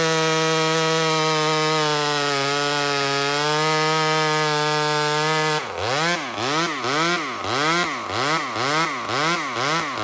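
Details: Small Homelite two-stroke chainsaw at full throttle in maple: a clean high scream whose pitch dips and recovers rhythmically about twice a second as it bites. Healthy cutting under load.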